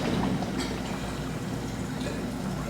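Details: GE dishwasher after removing glass and debris that the drain impeller was hitting: hums quietly with soft water swishing, no clanking or grinding during the regular cycle; runs normally after repair.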